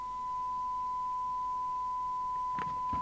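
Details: York JCB861 UK FM CB radio (Cybernet 234, 1981, Japan), de-modified back to factory standard and run at 12 V: clean, steady test tone heard at 0.3 microvolt, checked on a SINAD meter, with handling clicks; the receiver is working fine.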